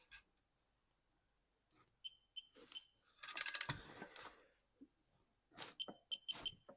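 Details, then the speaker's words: Briggs and Stratton 140cc lawn mower engine during head gasket replacement: head bolts torqued to 18 ft-lb. Short high electronic beeps at target torque, with wrench clicks and handling noise. Torque wrench target beep. "okay going to come over and we're going to be torquing these to 18 foot pounds listen for the beep"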